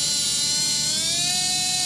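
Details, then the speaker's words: Brushless RC motor on a SkyRC analyzer, 2-pole kV test: high whirring whine climbing with revs, gritty and uneven, RPM jumping and struggling to reach 30,000; motor worn and on its way out, bearing suspected. "Can you hear that already? How poor that sounds? And look at the RPMs, how much they're jumping."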